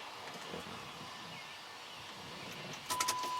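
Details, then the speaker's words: Third-gen Pontiac Firebird with a 5.3 LS swap, new stainless sending unit and pump on the factory plug with a new primary wire: click at key-on, then a steady high electric hum; fresh fuel pump priming normally. "She's working. Turn on the key and the pump comes on. Well, that's a good thing."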